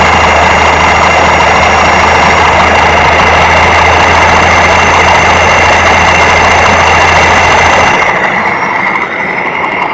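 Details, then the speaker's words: Electric motor before maintenance, microphone placed close, spun in reverse and forward: steady rough rushing with a thin ringing tone that fades as it slows, and it stops quickly. Bearing worn and damaged by moisture; replacement needed. "ahí lo vimos esa es una condición Clara de que un motor bastante afectado por la humedad el rodamiento en especial está bastante afectado es mejor reemplazarlo"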